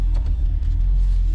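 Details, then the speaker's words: 3.6 Camaro idling low and lumpy with uneven stumbles, near stalling; check engine light on, lack of power, earlier injector 4 code, ECM fuse repeatedly blowing; cylinder misfire at idle, cause not yet confirmed. "So we could plug into it right now and show you guys it misfiring."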